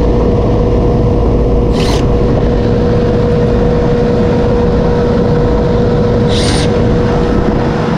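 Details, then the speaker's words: Older Goodman R22 AC unit after contactor pulled in, capacitor dead again, owner reports power outages: steady, even hum with constant mid tone, no clatter or cycling; compressor now running smoothly and holding load. "let's see if we start oh that sounds better sounds like I got a compressor now oh yeah"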